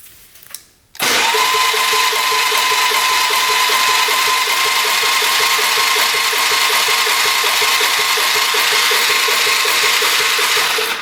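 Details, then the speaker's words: 1997 Polaris Magnum 425 6x6 ATV compression test with throttle open, expecting 50–80 psi, reads zero; fast, light, even cranking with no compression strokes; owner suspects a bent valve; a tight valve is holding open. No compression. "turn the key on here we go yeah that's not good that would be zero"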